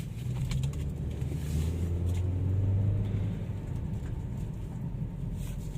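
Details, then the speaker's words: Chevrolet Malibu, 80,000 km, previously crashed, after replacing faulty aftermarket left front lower control arm and ball joint and the leaking shock (spring kept): steady low road rumble over rough road with no clunks; suspension now quiet. "然后没有换总成的，就单换了一个减震器，没有换弹簧。现在走烂路的时候就不会响了。"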